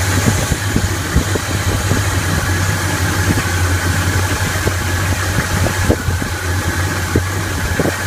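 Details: 1981 Chevy K10 V8, Quadrajet carb with newly installed Mr Gasket heat dissipator against bowl fuel boiling and new throttle cable replacing a binding one: steady, even low-rumble idle while warming up, no knocks or misses; normal idle.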